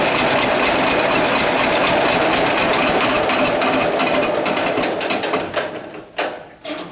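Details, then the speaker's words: John Deere A tractor started by hand without a battery on a blizzard day: heavy, regular hammering about three to four times a second over a steady idle, easing as the engine slows, from a worn flywheel-side main bearing. "As you can hear, that thing sounds like the hammers of hell beating on the side of the engine block. She runs good. It actually idles really well."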